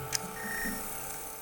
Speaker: For reference, here's a healthy optical drive. It searches for a bit, but then you hear the beautiful chime of a good read.